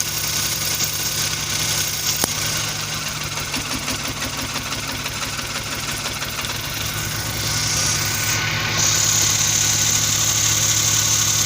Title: Engine Misfiring | K6A Suzuki